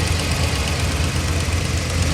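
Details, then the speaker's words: Hemi engine on a cold start: a rough, pulsing idle with a quick tick on each firing pulse, louder when cold. An exhaust manifold leak from a broken exhaust stud. "all right guys that wasn't a good sound uh it mainly happened when it's cold"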